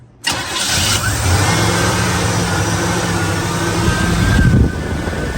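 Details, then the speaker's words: 1959 Chevy truck after fixing a no-start caused by swapped tach and ignition wires: it cranks briefly, catches at once and settles into a steady, even idle with no misses or knocks, so normal start and idle. "All right, there you go. The truck is uh is running fine."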